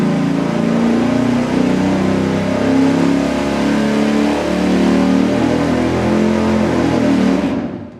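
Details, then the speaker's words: Low-compression Mopar 440 big-block with Thermoquad carburetor, full-throttle dyno pull at 41° timing, 327.7 hp at 4,400 rpm, 457.8 lb-ft at 3,100: deep, even roar held seven seconds, steady firing, no misses or knocks; healthy pull. "Okay, there we go. It approved a little bit with extra timing. We got 41° in it now. It made 327.7 horsepower at 4,400 RPM."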